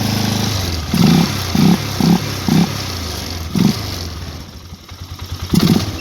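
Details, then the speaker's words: Polaris Sportsman 500 HO ATV after the crank-no-start fix (ignition connector reconnected). It picks up cleanly on short throttle blips and returns to a steady idle with no misfire. It runs great and charges the battery; high and low range, reverse and 4x4 all work. "Well, that four-wheeler runs just great. Everything works."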